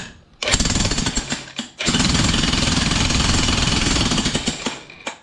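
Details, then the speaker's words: Hitachi jackhammer hammering on steel after repair (piston cleaned), giving strong, rapid blows in two solid, even runs. Working properly and healthy. "so that's good news this Hammer should work okay very healthy I'm very happy"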